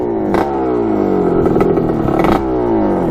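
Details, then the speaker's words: 1986 Kawasaki KX125 two-stroke dirt bike, after tightening a loose main jet and setting float height: crisp revving, pitch rising and falling cleanly in quick blips with no stumble or bog; runs normally. "let's see oh yeah there we go that's how it's supposed to run it's a little loud it's okay"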